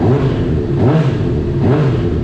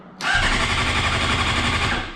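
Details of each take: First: Salvage 2015 Honda CBR 600RR, 8,831 miles, running after tip-over sensor was plugged in and fuel pump primed; crisp note rising and falling smoothly with each throttle blip, revving normally. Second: Salvage 2015 Honda CBR 600RR, 8,831 miles, oil checked; starter spins engine briskly with even chuffing for about two seconds but never catches, no fuel pump prime because the tip-over sensor is unplugged.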